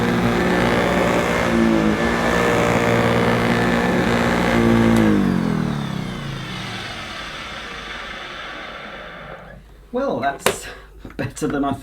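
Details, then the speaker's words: Old Electrolux 550 upright vacuum pushed over carpet, then switched off: loud running then an uneven, wavering wind-down instead of a smooth fade; the motor is the problem, with dirty filters, bag and belt also due. "of course this cleaner will benefit from clean filters new bag and a new belt but it's definitely the motor where we've got the problem you can hear on the wind down that it's not quite as smooth as it should be"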